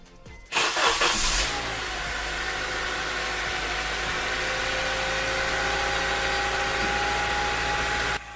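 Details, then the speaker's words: After replacing a drive belt whose backside had worn smooth: engine fires and settles into a steady even run, idle comes back down, far quieter with no belt screech or chirp. "yeah it's quieter way quieter this belt didn't even look bad but the backside of it being smooth I think that's what it was"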